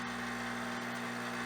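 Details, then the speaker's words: Espresso machine, first shot of Mayorga Cafe Cubano organic dark roast: steady even pump buzz that never eases, holding about 9.8 bar; grind too fine, nothing comes out, so the grind needs to be coarser. "and it looks like the grind is too fine because so far nothing has came out we're definitely have to reduce the grind size for this dark roast nothing comes out okay so this is definitely too fine"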